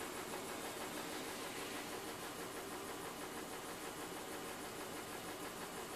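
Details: BMW M52TUB20 engine at steady idle with an uneven, stumbling beat about three times a second: misfire on cylinder 6.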